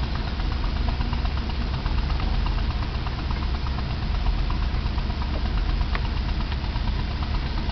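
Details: Semi truck heard from behind on the road at night: steady deep diesel idle from the exhaust pipes with a faint repeating knock riding on it, suspected rod knock, unconfirmed.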